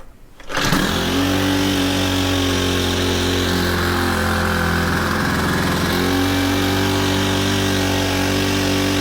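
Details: Honda FG110 with GX25, replacement carb after heavy adjustment, idle deliberately set high to warm up before tuning down: catches and settles into steady, smooth fast warm-up idle with one brief dip; running normally.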